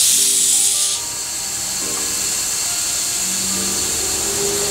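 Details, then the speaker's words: Turbo intake pressurized with a boost leak tester to about 15 then 20, after fixing a leaking wastegate vacuum line banjo washer; sharp air hiss then a thin steady hiss under pressure, showing a boost leak remains. "probably go to about 15 again maybe we'll go a little further i'll go to 20 why not all right so i can still hear a leak"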